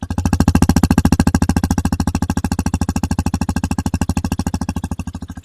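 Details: Hero XPulse 210, latest January 2026 batch, about 500 km and 10–15 days old, at idle just after start with the mic near the silencer. Quick, even, deep exhaust thumps with no tappet ticking on top: a normal, healthy idle.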